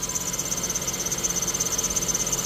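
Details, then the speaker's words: Ford Figo petrol/CNG after head valve work, first start before coolant top-up: thin high chirp pulsing about ten times a second over quiet idle; accessory belt slipping and squealing, engine otherwise smooth with no hunting. "Belt आवाज कर रहा है कोई चीजी चीजी"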